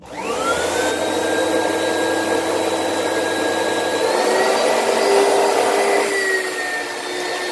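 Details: Used lightweight Oreck upright from Facebook Marketplace: the motor spins up to a steady high whine with an odd overtone that shifts pitch midway. Owner can't tell whether the weird noise comes from the brushroll or the fan.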